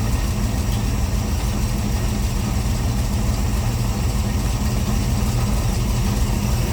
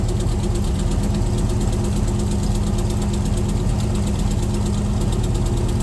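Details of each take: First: C3 Corvette carbureted V8 idling after float levels were reset toward the middle during the carb tune: deep, steady burble, even beat, no stumbles or misses; owner says it's running pretty good; normal idle. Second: C3 Corvette V8 with Holley four-barrel carburetor idling before the tune, running rich and smelling of gas; mechanic blames float level set too high and adjusts all four barrels: steady low idle, slightly lumpy, uneven beat, no sharp knock; rich running.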